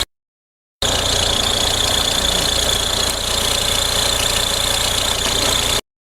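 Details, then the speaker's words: Audi A4 B6 1.9 TDI diesel idling with a constant high whirring whine and fast uneven ticking from a faulty belt tensioner bearing; the tensioner was then replaced with a new one. "عندنا هذه لاكات فيها بروي متاع طوندور. دي فو طوندور."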